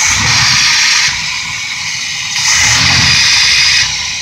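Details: Vintage Chevy P30 motorhome carbureted engine after ignition parts replacement, air cleaner off: two quick throttle blips with loud airy intake rush swelling and settling cleanly, no backfire; idles around 750–800 rpm.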